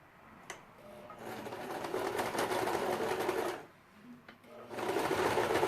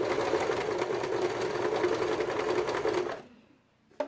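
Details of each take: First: Janome 2008 domestic machine, needle 14, stitch length 3, sewing two layers of synthetic Vintage fabric (1.4 weight): fast, even, loud stitching chatter in two steady bursts; noisier than her Jack but normal, sewing without strain. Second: Janome 2008 domestic machine at stitch length 3 on layered synthetic Vintage fabric (1.4 weight, microfiber back): fast rough stitching rattle with labouring hum, then stops; motor straining, stitches come out short but tension good.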